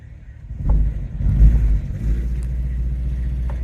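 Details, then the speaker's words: Honda Fit power-braked in gear: a low, lumpy stumbling rumble, running on only a couple of cylinders, won't exceed 20 mph, flashing check engine light; code P0302 cylinder 2 misfire, ignition coils and spark plugs to be checked. "all right we got a Honda Fit here customer States won't go over 20 miles an hour check engine lights on wrench lights on TPS light and you can hear it you can hear it misfiring"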